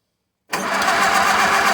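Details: 1951 Case VAI tractor during ignition switch change, started with starting spray: catches abruptly from silence into a rough, ragged run, a brief fire-up that won't keep going unaided; cause not confirmed.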